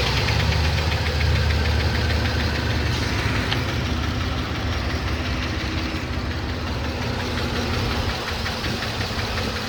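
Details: 2007 Trailblazer LT V8, 119,000 miles, idling after a motor flush that did not work: sharp, light ticking about four times a second over a rough idle, from a collapsed lifter roller hitting the cam; DOD delete kit planned.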